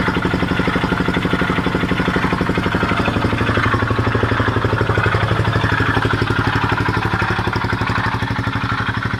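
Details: Honda XL250S single-cylinder at idle, around four beats a second, with a harsh rhythmic pulsating grinding on every firing stroke.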